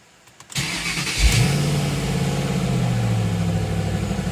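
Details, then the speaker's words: Mustang on jack stands, first start since November after extensive repairs, running with no cooling or accessories: quick crank, fires at once, revs briefly and settles to a steady, even idle with all pressures up; healthy. "freakin runs and she sounds good all pressures up"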